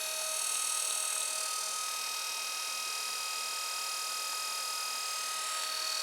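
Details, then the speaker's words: Brushed 24 V 350 W 3000 rpm eBike gear motor BY1016Z, 9.7:1 reduction, about 300 rpm output, for a plastic shredder, running on 24 V: steady high whine, faint PSU fan hiss, no grinding or clunks; runs smoothly. "So that's on 24 volts. A little bit of fan noise coming from the PSU, but not too loud."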